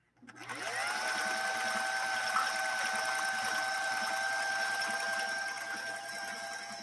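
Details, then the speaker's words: 1960s Singer 503A sewing machine run on its foot controller while sewing a decorative pattern stitch: smooth, even whir climbing in pitch like an airplane revving up, steady stitching tick throughout; runs healthy and quiet. "and again listen to this machine run it really does run it sounds almost like a an airplane kind of revving up as it starts"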